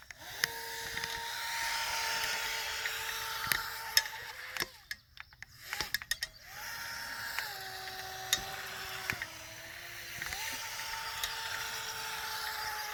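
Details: Pro Boat Jet Jam RC jet boat with a brushless motor upgrade, running on 2S on a muddy pond. Motor whine jumps in pitch as the intake sucks air and cavitates, losing propulsion; letting off and re-applying throttle recovers it.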